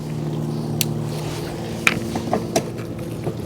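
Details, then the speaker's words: 2024 Wired Freedom e-bike, rear derailleur after indexing adjustment: steady drive hum with a few soft single clicks as gears engage down to gear 1, no chatter or grinding; normal gear shifting. "2, and the 1, the highest level. And as you can see there, no problems and no noise. So that's how you want it to be when you're shifting those gears."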